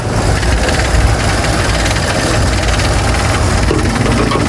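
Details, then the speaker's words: Toyota Corolla AE92 (1K) petrol engine with a bad, misfiring idle for about two weeks. The idle is loud and uneven with a shaky low rumble and exhaust buzz. Rough idle; the cause is not confirmed. "Pangit na under niya guys. So ayusin natin yan. Gagawin natin matining."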